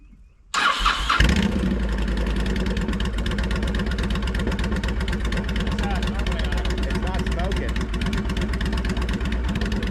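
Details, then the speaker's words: 2004 Honda VTX 1300 V-twin, previously cranked while hydrolocked, starts quickly from cold into a steady, even lumpy idle with no smoke, misses or knocks and no fluid pouring out. "So, it's running. It's not smoking."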